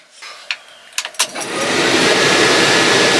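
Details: LS7 V8 in a rebuilt 1976 Chevrolet C10 truck, initial startup after fuses and wiring harness were sorted: a few sharp clicks, then it catches quickly and settles into a strong, steady roar; a clean, healthy start.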